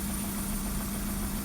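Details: 2003-onwards VW Golf 1.6 petrol idling rough with uneven lumpy throb, shaking, engine management light on; misfire from a failed ignition coil, found by lifting each coil, no change in engine tone on the faulty one.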